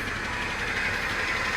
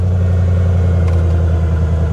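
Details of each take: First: 2017 BMW M240i at Copart auction, heard from outside the car: steady idle with bright metallic chatter over the engine hum; heavy timing chain rattle suspected, not confirmed. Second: 2017 BMW M240i at a salvage auction, jump-started after probably sitting a long time and rattling briefly at first: a deep, even idle with no rattle or ticking sounds healthy.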